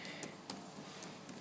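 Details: New, never-used NTM Propdrive 28-26A brushless motor with no crashes or drops, spun by hand: sparse uneven clicks and rattles. Fitting a different balanced prop made no difference, so the fault is internal. Rattle when turned by hand.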